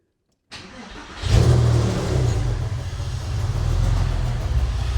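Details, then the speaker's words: Porsche 996 C2 started after replacing the EVAP charcoal canister, done to fix hard hot restarts; quick crank catches cleanly, brief rev, settles to steady low idle with no odd noises; normal start, repair likely fixed it. "It's not going to be doing much at the moment. So that's all good though."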